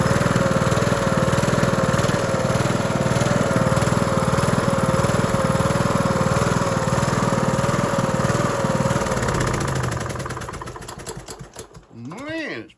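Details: Cub Cadet LT1045 (276 hours) repowered after a cracked, locked-up engine; replacement started on choke with a jump pack: steady, even single-cylinder thump for about ten seconds, then it winds down and stops cleanly. Sounds healthy.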